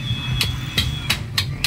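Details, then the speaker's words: Mitsubishi Mirage G4 that broke down and then got noisy under another mechanic's repair, engine running. Sharp metallic knocks come about every third of a second over a low hum, once per combustion: piston knock. "umaandar siya tuloy-tuloy yan ganyan yung ingay niya ganun ang ganon habang ikot ng ikot to lagatok ng lagatok yan kada sabog ng compres yan"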